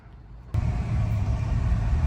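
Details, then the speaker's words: 2008 Ford Escape V6 road test after front-end repair for clunk: steady low road rumble pulling away and cruising, no clunks from front end; clunk fixed. "All right, we're driving. See if we hear clunk. I don't hear it, do you? No."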